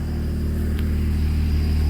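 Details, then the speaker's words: BMW 535xi E60/E61 just after a Walbro-style low-pressure fuel pump and pressure regulator install, primed and started: smooth, even idle with steady rumble, no misses or surging; no fuel leaks, running normally. "It sounds good. Flowing some pumps. No leaks, though, nothing."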